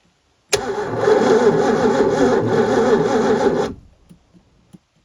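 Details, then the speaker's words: 1989 Supra TS6M ski boat engine with 1300 hours, once sunk and sitting for years: the starter cranks about three beats a second with no firing. The coil has power but no signal, and a bad points connection was found in the distributor. "all right so I'm guessing there's no spark let's see if we got power to the coil"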